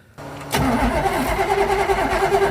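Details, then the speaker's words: 1968 Dodge Charger "General Mayhem" starting right after a fire near the engine: brief crank, catches and settles into a rough idle; wiring harness looks melted and a fuel smell is noticed, owner suspects burnt harness or fuel leak. "You couldn't even kill it with fire. That may have been the stupidest thing I've ever done on Roadkill."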